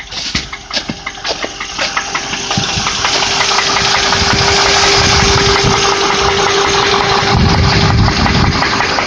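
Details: Land Rover Discovery engine after about 30 minutes of running, not overheating: cranks, catches, then idles with a sharp, regular tick about three per second. Attributed to an exhaust manifold leak.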